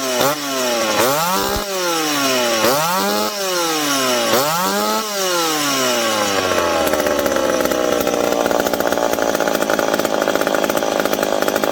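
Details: McCulloch PM700 two-stroke chainsaw, newly ported and on first run with carb roughly adjusted, not yet broken in. Revs cleanly up and down several times, then holds a strong steady note biting into wood with no bogging. Normal running under load.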